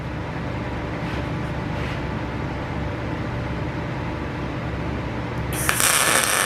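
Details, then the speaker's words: PrimeWeld MIG160Ts, solid wire MIG, C25 gas at about 15, electrode positive, before raising to about 20 V and 350 ipm: short crackly, sputtery tack bursts instead of a steady sizzle; voltage and wire feed too low. "Alright, so I can tell from those tacks, I don't really like that. I'm going to increase this to about I don't know, about 20 and around 350 on the inches per minute."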